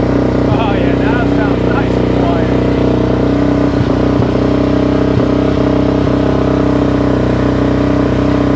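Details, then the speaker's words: Suzuki LTZ 400 ATV (2004 or 2005), restarted after repairing major valve-train damage from a failed valve-guide job by another shop, with idle turned up and a little choke. Steady, even single-cylinder idle with no top-end tapping: normal idle. "there we go that sounds way way better that sounds really really good"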